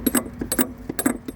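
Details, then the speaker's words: Nissan Livina rear suspension: sharp metal-on-metal clunks in quick pairs over dips and holes, rubber bump stop worn away and boot cracked, due for bump stop/boot kit and likely original shock mount replacement. "o barulho que ocorre é esse aqui ó toda vez que tá andando com o carro passa alguma depressão buraco é esse"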